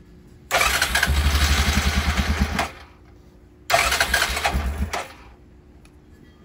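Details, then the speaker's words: Yamaha 350 Bruin 2WD ATV whose starter used to hang up and keep running, after the fix, started in neutral on choke: the starter whirs briefly, the engine catches and runs, and the starter disengages cleanly with no lingering noise. "now she's running like she needs to be starter's not sitting there hanging up"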